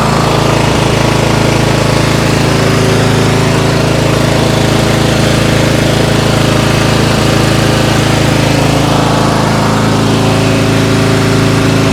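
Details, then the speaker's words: MTD White yard tractor, 13.5 hp Briggs & Stratton industrial engine, cold first start in years after sitting, fired with a little starting fluid; steady drone with occasional stumbles, strong fuel smell; cut out, lots burning off. Rough running. "so first time this thing's run in years. Fired up, a little bit of starting fluid. After that, have not used it, and still have some work to do. It cut out, there's a lot of stuff burning off of it"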